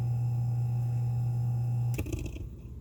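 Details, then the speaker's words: Hammond organ upper slow motor, worn and due for a rebuild kit, mic held close: steady low electric hum with a faint higher tone for two seconds, then it stops turning with rattles. "when your motor does this you go ahead and rebuild it watch when it drops you're gonna hear and it'll be bouncing this little spindle part right here will be bouncing right here"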